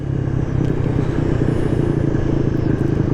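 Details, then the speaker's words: Maddog 150cc GY6 scooter on Pikes Peak Highway at 50 mph in cold weather: steady, strong drone with no misses or stumbling, wind in the background. Rider says it feels like it is running good again. "Here we go. 50 mph. That feels good. Now it feels like it's running good again."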